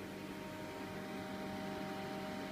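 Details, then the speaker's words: Avalon 60GH Mini Rig miner hashing at about its loudest: quiet, steady hum with a few constant tones, no rattle or whine; normal fan hum. "Yeah, there it goes, humming, humming. So this is about as loud as it gets. Every now and then it goes."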